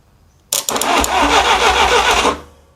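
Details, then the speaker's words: 1957 Willys FC-150 engine after a new rotor and cap: starter whirs steadily for about two seconds and the engine never catches; no spark on the test light. "All right, we got crankage. Next, we'll see if we'll get if we're getting spark with my test light. Nope, it's not showing a light."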